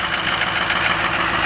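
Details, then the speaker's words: 2007 Ford F-250 6.0 diesel cold start after the glow plugs heat, with a little smoke on startup: constant clattery diesel idle with a hissy top end and no knocks or misses; normal cold idle. "since I'm a little chunky a little bit of smoke blew out not too bad - that sounds pretty good for as cold as she is"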